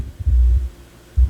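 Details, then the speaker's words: Technics SL-B202 turntable with electronics unplugged: a deep hum cuts in and out on the left channel when the tonearm is moved or its wire is flexed. A broken tonearm wire is suspected. "yeah I think we got a bad tone arm wire because that's the Left Channel I think it might be up here though"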